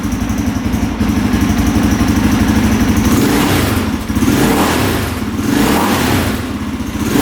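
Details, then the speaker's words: 2003 KTM 625 SXC Supermoto that started then died after storage. After a carb clean, choked and warmed up, it gives big single thumps at idle and quick blips that climb and drop cleanly without bogging. Normal throttle response; the carb clean fixed it. "Oh yeah, sounds pretty good. Wow. Very responsive, doesn't bog down. All right, so the carb clean fixed it."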